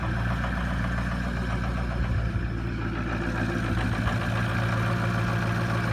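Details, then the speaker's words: 2004 Ford F350 6.0 Powerstroke diesel cold start at about 22–24 degrees after one glow plug cycle: steady, even idle with deep low clatter, no misses or knocks; normal diesel cold idle. "And that's the 6.0 cold start. And the motor's 24 degrees. Ain't that crazy?"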